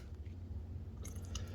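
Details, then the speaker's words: 2012 Chrysler 300 3.6L after thermostat replacement, bleeding the cooling system with the car leveled: soft, irregular wet gurgling as trapped air bubbles out; keep the bleeder open until the bubbling stops. "See how all the little bubbles are coming out? So you can keep that open until you stop hearing all the bubble noises."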